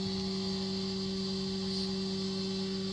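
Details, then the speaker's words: Boiler on: steady low hum with a clear tone around 200 Hz from the hot water cylinder's cover, as fast primary-circuit water in the coil makes it vibrate. Fix: lower the pump speed or adjust the gate valve. "so inside the cylinder there is a coil of the primary circuit and the flow and the return you know the water flowing inside in high speed and when it travels it makes noise due to the vibration"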